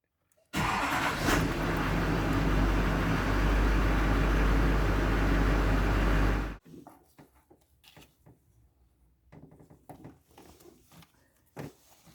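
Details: 2006 GMC 6.6 L Duramax diesel, worse in bitter cold: the starter churns evenly, about three to four pulses a second, for six seconds without firing. It won't start unless the fuel is primed; air is entering the fuel system, fixed with a primer assembly seal kit.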